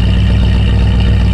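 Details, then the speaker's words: 1973 Ford F100 V8, carburetted, fully warmed up after first start-up while idle RPM is adjusted down from high: deep, steady, even rumble with no misses or knocks; smooth warm idle. "but once we figured that out once it was um like fully warmed up and idling then you can go in and adjust everything appropriately"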